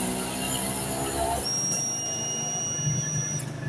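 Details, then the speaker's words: Honda Dream 110i that would not start: the new fuel pump is tested by plugging it in and switching the key on, giving a thin steady high whine of about two seconds, normal priming (the old pump was completely silent). "เปิดสวิกุญแจโอเคปั๊มติ๊กทำงานอยู่นะครับปั๊มติ๊กทำงานปกตินะครับ"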